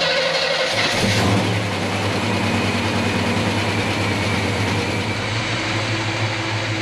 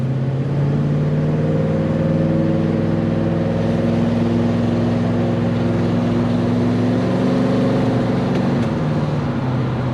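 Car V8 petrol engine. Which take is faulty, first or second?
second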